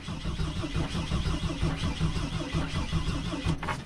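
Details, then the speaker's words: Mercedes Sprinter diesel van with new fuel tank and fuel pump, first start attempt after glow plugs: slow, uneven starter churn with occasional firing puffs that never catch; starter seemed to malfunction; cranks but no start, diesel later spewing out. "feel like it wants to start kind of sorta has that feeling"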